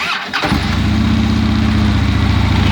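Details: Harley-Davidson Twin Cam 103 V-twin after spark plug thread repair and reseating the engine temp sensor connector, P0118 code not yet cleared; catches quickly after a short crank and settles into a steady, even potato-potato idle: healthy.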